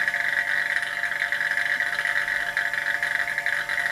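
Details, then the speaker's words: Vacuum pot still, pump evacuating before induction heating, coolant around 25°: steady buzzing drone with mid-high tone and fast rattle, pump note changing near its maximum vacuum before valve closed and pump stopped. Normal vacuum pump running. "we hear the noise of the pump is changing okay should be enough so I'm closing the valve and turning off the pump"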